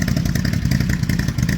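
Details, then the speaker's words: Can-Am 850 quad that had lost a cylinder from a failed chain tensioner (spring popped out of plunger), first start after repair: steady, even idle with crisp regular firing, no rattle or earlier air-loss hiss; sounds great. "Sounds great. Just like that. Nice one. Yeah, it sounds good."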